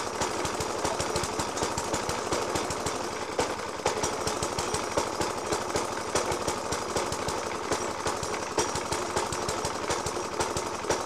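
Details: 1991-era Suffolk Punch 30S mower with Dellorto FCH 20 carb, after new spark plug, decoke and carb clean; harsh uneven banging at idle, several hard pops a second, ragged spacing; rough idle, cause not pinned down.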